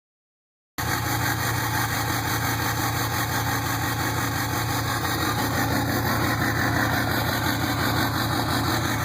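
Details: 2007 Ford 6.0 Powerstroke diesel with one dead injector and six more bad; loud idle with an uneven lumpy beat at about three pulses a second; rough idle from failed injectors.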